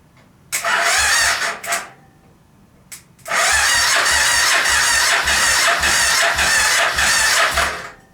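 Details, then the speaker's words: Suzuki VX800-engined go-kart buggy that sat for a long time, cranked by jumping the solenoid, spark present: starter grinds in short, slow, labored bursts; owner suspects battery drained by testing the electric reverse. "kind of very weak bottom at least in turn I think it's the battery I may have killed the battery when I was testing the electric reverse"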